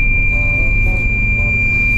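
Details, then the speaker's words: Long-haul truck near Iwate: a steady high warning tone holds over the low diesel rumble as the low-coolant alarm keeps sounding; the driver warns that driving on will overheat the engine and stall it, and heads for a place to stop. "警告王がなやなくなってしまいましたこのまま走ってしまうとあのオーバーヒート起こして止まっちゃう"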